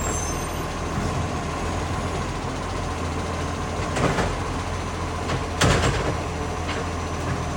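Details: Ryde green waste truck 757, a spare truck: heavy diesel idle rumble with a raspy chuffing edge plus air brake hiss; the truck has developed an exhaust leak and has started slamming.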